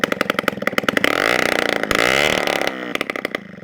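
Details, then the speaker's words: 1987 Honda Aero 50 two-stroke scooter, kickstarted after carburetor cleaning and fresh gas: kickstart clatter, then it catches straight away into a loud raspy buzz that revs and settles, firing up easily. Normal start and running. "Yes! Success, man. All right, that's sick. So it fires up pretty easily with the kickstart."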